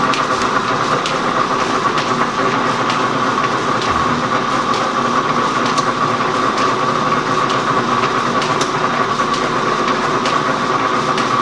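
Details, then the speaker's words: Gould & Eberhardt 24-inch heavy-duty industrial metal shaper, post-1912 (guessed 1912–1930), test run with the dog pin picking up the feed gear: regular clacks about once a second over a steady mechanical hum, even stroke rhythm; normal running. "And it's got a little pin here, a little dog, that as it's running, this thing's articulating, and this little dog picks up the gear."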